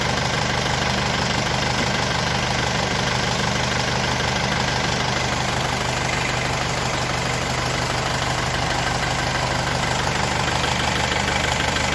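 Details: Mercedes W210 diesel idling while its AC is recharged with R134a, compressor cut in: steady clatter with an even rhythm, no knocks or squeals; normal idle with compressor engaged.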